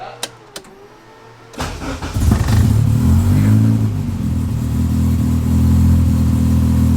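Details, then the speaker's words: Car being prepped for dyno, cooling system still full of air being bled: a couple of clicks, short crank, then fires quickly into a steady, even idle hum; starts up much better, crisp and clean. "but it starts up way better sounds so crisp and clean i love it"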